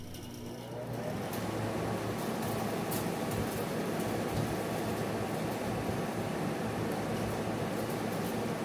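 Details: GE window air conditioner AHC12LYW1/ACH14AZW1, 12,000 BTU, after bypassing faulty control board (88 code, beeping, shutting off): brief quiet, then steady even fan rush and low hum; normal running on high fan.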